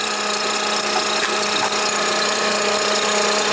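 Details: Toyota Highlander (2007 or 2003), almost 200,000 miles, idling with the boost pack disconnected at 11 volts; clamp on alternator positive wire reads 22 amps. A steady high squeal with no pitch change over a smooth idle: failing alternator, bad diode.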